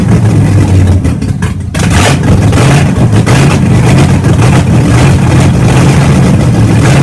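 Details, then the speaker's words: Engine just started after three and a half years sitting, new starter fitted, camshaft being broken in with no exhaust fitted: loud deep open-exhaust rumble at a steady idle with some revving; running well. "so as you guys just saw we broke in the camshaft had the thing running had an idle and good we finally did it"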